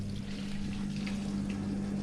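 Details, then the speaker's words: Newly fitted replacement drain (waste) pump on an LG washing machine after repair: steady low hum with water gurgling and trickling as the drum empties, no leaks; drain pump running normally. "the water's going away yes yes a car mechanic has fixed a washing machine i've been so happy it's amazing it's draining and it's not leaking"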